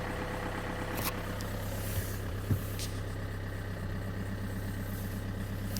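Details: Opel Insignia 2.0 CDTI diesel at idle: steady low drone with a fast, even ticking clatter over it; abnormal engine noise, cause not clear.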